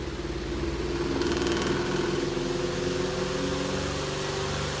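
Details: Vintage Western Electric fan, blades being bent back into alignment, now self-starting, run on high. Steady hum with a soft, irregular wobble and rattle about three beats a second. Vibration from still-unbalanced blades.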